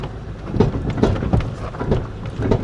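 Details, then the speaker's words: 2000 Toyota Camry V6, 292,083 miles, misfiring with shot motor mounts, while driving: dull irregular pops and thumps from the front suspension about every half second over road rumble; cause unknown. "Something is popping under the front end. Do you hear that?"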